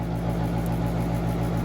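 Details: Central AC outdoor unit in Woodbury, New York running continuously: a constant low hum and compressor drone with no cycling. Its single-pole contactor is stuck closed and kept the compressor running over a long holiday weekend.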